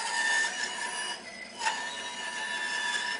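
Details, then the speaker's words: Bandsaw with 3/8-inch blade cutting a curve tighter than about 2-inch diameter: steady high motor whine sags and thins as the blade slows and starts stalling; radius too tight, needs a 1/4-inch blade. "If I go a little bit too tight, you hear the blade slowing down."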